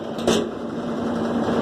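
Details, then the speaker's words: 2005 Kenmore 70 Series direct-drive washer: steady, even low hum from the drain/water pump after a brief start-up noise, no grinding or rattle. The pump was causing strange noise while washing and spinning; it was repositioned and the motor shaft and pump loosened and refitted, and it now runs normally. "Bueno amigo ya hemos quitado el ruido del problema de la bomba y pues ya Únicamente lo acosté y lo acomodé la bomba"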